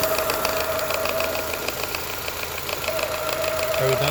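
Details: 2002 Mini Cooper R50 idling: fast, loose knocking about three a second, rattling steadily from the clutch area; gearbox very hard to engage first and reverse, sounds bad in neutral; cause unknown, clutch suspected.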